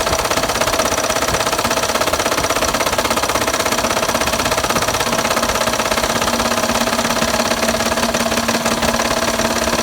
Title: Blown up engine got rod knock